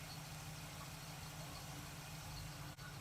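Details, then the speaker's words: 1947 Ford street rod on a hot day: low, steady V8 burble with an even beat as the choke opens. Clean warm-up idle, running much better. "Choke is opening up nicely. Sure is running a lot better."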